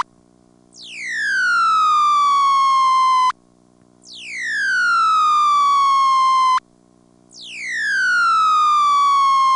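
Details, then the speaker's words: ITT Pentaconta crossbar office, Asheboro NC, March 1977, phone left off the hook: loud falling and rising howl repeating every three seconds or so with short quiet gaps, the off-hook howler warning. "but here in Ashborough as well as I think if my memory is right in like 1971 in Durham North Carolina I did hear something that actually fits that name here's what happened one time when I left my phone off the hook here"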